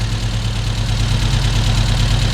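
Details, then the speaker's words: Volvo 145 with tuned Webers, warm after starting on spray: steady even low idle with smooth unbroken beat, no coughing, misses or knocks; normal idle. "i had to spray a few times but after a moment it started okay and uh listen to this i love it and it doesn't cough at all"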